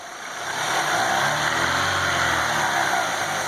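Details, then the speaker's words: Chevrolet Aveo T250 engine, timing belt and rollers already replaced elsewhere: revving brings a gurgling hiss, then whistling and crackling. The distinct sound of air being sucked in is identified as the real cause, a vacuum leak. "Мы слышим, кстати, отчетливый звук подсоса воздуха. В этом-то, собственно говоря, вся и причина."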